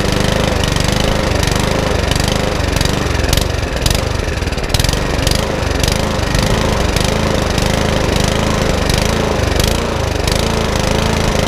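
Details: Mountfield HP164 lawnmower that keeps cutting out: fast single-cylinder beat with a slight rise and fall in speed; hunting, with a carburettor problem suspected, which is then ultrasonically cleaned.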